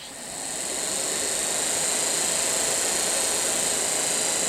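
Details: Daewoo Nexia heater blower motor, which had lost speed and then stopped because of worn brushes and a loose brush lead, bench-tested on a power supply after brush repair: a clean, steady high whirr spins up within half a second, with no scraping or ticking; healthy.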